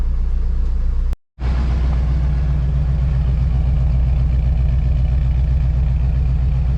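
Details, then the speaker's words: V8 idling not yet fully warmed up, charging, with decent oil pressure and a little over 30 at idle: a steady, even, low fast-idle rumble with no knocks or misses. "The engine actually doesn't sound bad. It's charging, it's got decent oil pressure. A little over 30 idling. It's not quite warmed up yet."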